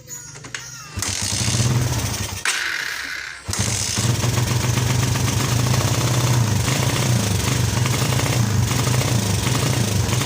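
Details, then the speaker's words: Suzuki Satria FU brought in unable to run; starts and runs with uneven, stumbling, hesitating beat; spark plug looks dry and good, carburettor serviced, still faulty; new plug tried next. "Oke, kita cari penyebabnya. Di mana letak penyebabnya? Suaranya seperti itu, tersendat-sendat ya."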